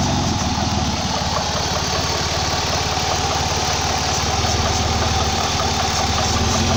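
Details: 2004 Ford Escape 3.0 V6 idling: uneven loping idle with a faint steady hiss, sometimes stalls; owner suspects a vacuum leak, not located; hissing with rough idle.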